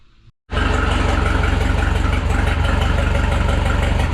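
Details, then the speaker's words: Rebuilt Minneapolis Moline 335 tractor engine: after advancing the timing a little, it catches and settles into a steady, even chug of about four beats a second with no misfires; idle sounds smooth, though the owner notes a blow-by problem. "There, sounds much better after advancing the timing a little bit. Much better."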